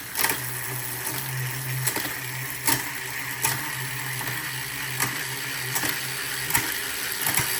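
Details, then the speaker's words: Prestacycle Uniblock Pro HG 12-speed cassette on a road bike, running through the gears: crisp quick clicks every second or so over a light freewheel whir, no grinding, like Shimano 105 with more smack; normal shifting. "It sounds pretty much identical to the 105 in there. Just has a little bit more smacks to it."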